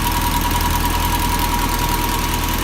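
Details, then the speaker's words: 1979 Toyota Corolla SR5 TE37 before tune-up (oil, plugs, wires, cap and rotor); starts first try but runs rough, steady low idle with faint uneven lope and thin whine; rough idle, cause unconfirmed. "so the car needs a tune-up because it starts off pretty rough and it doesn't run as smooth as I like"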